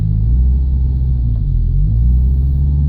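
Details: 2000 Subaru Legacy with low engine power and backfire pops, gas about half pressed: deep steady engine drone that sags instead of climbing cleanly; engine struggles, bogs and hesitates under load.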